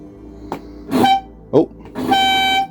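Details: Early-2000s Reliant Supervan: two short, clear, steady horn blasts, the second about half a second long; the horn sounds strong and works normally.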